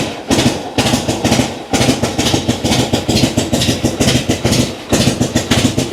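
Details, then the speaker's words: Old kick-start V-twin idling cold after a cold start, idle knob not turned up: loping big-twin beat at about two firing pulses a second, even and catching cleanly; healthy cold idle. "When it's cold, I can turn my idle up, and when I kick and it starts to sputter, it'll catch."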